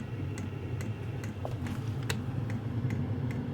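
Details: Vevor diesel heater at full manual setting 10, with ignition, after relocating fuel pump to stop siphoning: even light ticks about twice a second over steady fan hum; fuel pump pulsing normally.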